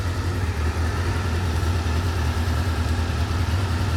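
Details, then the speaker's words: 1989 Honda CB-1 four-cylinder, warm but not fully warmed up, no choke, stock pipe: smooth steady low burble with no knocks, misses or hunting, idling evenly and healthily. "And it sounds pretty good, idles well. This isn't fully warmed up yet, but I haven't even put the choke on it."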